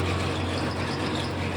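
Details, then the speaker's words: Small engine on vintage gold trommel, water pump slowed, 3/4-inch line, water reaching the box but needing slightly more; steady low drone without surging; normal steady pump running. "Oh yeah, so we got water flowing now. It's flowing through. We just need just a little bit more."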